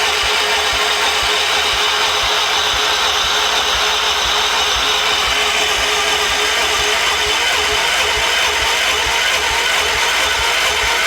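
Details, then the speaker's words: 1978 Wheel Horse C-121 garden tractor, after starting fluid: long steady starter churn with even compression pulses never picking up into firing; cranks but won't start. "I'm just going to burn out the starter at this point, so all right, back to the drawing board."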